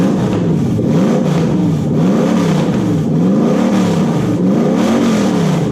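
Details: Toyota 1UZ-FE V8 (UCF20) in a Daimler, after repairing a badly miswired engine loom: revs climb and fall smoothly in repeated blips, clean and even with no misfire, stumble or knock; normal revving.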